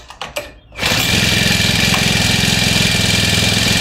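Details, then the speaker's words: New grass cutter: a couple of pulls, then it catches and settles straight into a steady, even high buzz. It starts and runs properly, confirming the fault was found. "So once mga kaamig umandar siya agad. Ibig sabihin ito 'yung sira niya."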